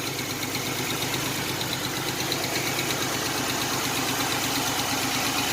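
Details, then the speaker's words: 1987 Chevrolet Celebrity Eurosport 2.8 V6, 237k miles, with a new MagnaFlow catalytic converter and all-new exhaust, around 40-50°F: even idle with a light, fast tick over the exhaust note; new lifter tick suspected, not confirmed. "You can actually hear the motor now. Got a little bit of lifter tick. That's new."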